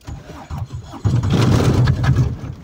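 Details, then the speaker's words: Aixam microcar's small diesel cranks slowly a few turns, then catches after stalling and runs rough and uneven, struggling to stay running; hard restart after it had stalled. "Viņš pat pielicis, mēs bļāvām, bet viņš"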